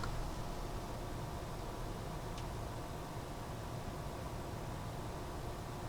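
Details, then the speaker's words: Corsair Capellix AIO liquid cooler on AMD AM4 with 3D-printed 4-corner mounting brackets: a quiet steady low hum with a faint thin pump whine, with much less vibration than with the stock mount. "Man, that's a sweet sound. A sweet, just the little whine of the pump."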